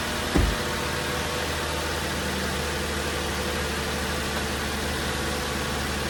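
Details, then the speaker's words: 2008 Ford Taurus after replacing both VR camshaft position sensors; engine catches with brief flare, settles to steady even idle, no misses or ticking. Normal idle. "So, not that we had any real big issues before, but you know, it seems like it's okay. Repair seems like it's okay."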